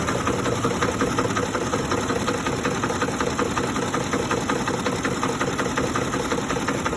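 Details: 2007 Ford F-150 5.4L 3V Triton, 158k miles, warm after about 20 minutes driving, at stop; RPMs drop, rough idle with steady light rattle like an old diesel, sometimes cleared by revving; timing chain, tensioner, plugs, coils, VCT solenoids replaced, no check engine light; cause unknown.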